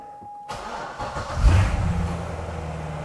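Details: C6 Corvette Z06 with LS7 engine, started after a tire-sensor relearn with uncertain battery charge. A short crank catches quickly into a steady, deep, even idle with no knocks or misses: a healthy start.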